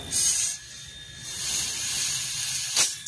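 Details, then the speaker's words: Good refrigerator/aircon compressor running with suction open: a strong, steady high hiss from the discharge in pulses, no fading or sputter, that the thumb cannot block (thumb method); good pressure, not loose compression. "Hindi mo kayang pigilan yan. Okay. Hindi kayang pigilan ng thumb. Thumb method."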